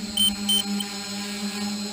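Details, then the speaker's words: DJI F450 quadcopter, stock 2212/920kv motors, 30A ESCs, 5000mAh 3-cell battery, hovering in GPS hold around 8:40 flight time: short high beeps every third of a second over steady motor hum, low-voltage warning as it starts twitching and losing power. "my low-voltage warning is coming on and inside so you can see it she's starting to act a little weird she's starting to twitch that's a sign that she's starting to lose power"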